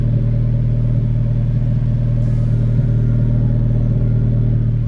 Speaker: i don't know if you can hear but i have an exhaust leak i had one whenever i purchased the car